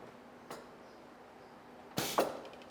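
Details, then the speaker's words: Festo pneumatic training rig: a faint snap, a pause while the timer counts down to zero, then a sharp exhaust-air hiss as the cylinder retracts; normal operation. "can hear the timer is ticking its resets to zero the cylinders then detroit's"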